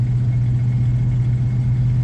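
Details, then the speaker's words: 1979 Chevy K10 cold engine below freezing: steady, even low drone with no knocks or misses, idle held raised until the choke opens; the choke is not set, and setting it could resolve this. "kind of have to baby it keep the idol up until it can get warm enough that the choke does its thing now that could be resolved by actually just setting the choke"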